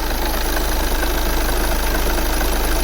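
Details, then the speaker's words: 2009 VW Tiguan 2.0 TDI diesel with a misfire issue, restarted after a sensor was replaced and cam and crank timing were locked and aligned: smooth, even diesel idle with a steady low clatter and no misses, working great. "think the guy will be very happy with that well i think it's better we got another sensor yeah it's working great it's working great"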